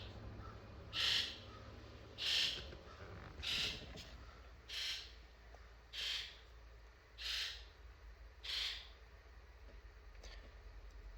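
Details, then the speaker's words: 7.3L Powerstroke electrical injector buzz test run from a scan tool: seven crisp injector buzzes about 1.25 s apart, then cylinder 1's slot is nearly silent. Cylinder 1 injector code is present; the cause is suspected, not confirmed. "So number 1 was almost silent, and as we see, there's a code."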